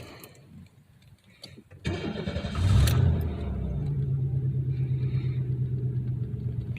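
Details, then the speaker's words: 1993 Chevy Lumina warm restart after about a mile's drive, following an idling issue after sitting about six days. Brief crank, quick catch and flare, then a smooth, steady idle; sounds good. Normal start and idle. "well it sounds good well I guess now the real test is to drive it to work"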